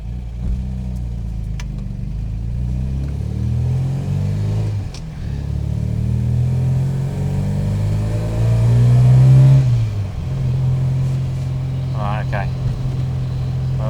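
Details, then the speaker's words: Supercharged MGB with new supercharger camshaft and changed timing, at operating temperature: engine climbs, then flattens and stumbles under load; bogging under hard acceleration, owner suspects timing or pump jets. "So, still bogging down under hard acceleration. Still need to fix that."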